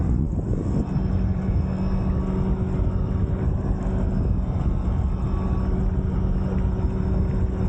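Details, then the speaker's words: Fliteboard hydrofoil with race wing after wing-noise fix, at about 24 mph: only a low steady rumble of water and motor, no whistle or singing tone; foil running quiet. "it's perfect no noise at all whatsoever so I'm gonna crank up the speed this uh only 24 miles an hour right now"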